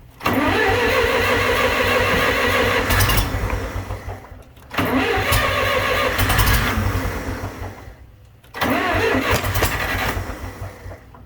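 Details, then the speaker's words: John Deere 3020 LP tractor with new head, batteries good: three brisk, even four-second cranking bursts that never catch; no start. "something isn't right I'm just cranking it over for no reason aren't I"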